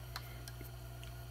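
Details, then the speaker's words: A fret rocker tapped on a guitar neck with fret buzz gives faint irregular light ticks, about four in a second and a half, over low hum as it rocks on one high fret, revealing a bad fret. "So basically I got a bad fret because of that clicking noise."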